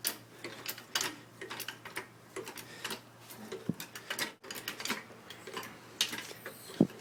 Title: G35 rear axle clicking noise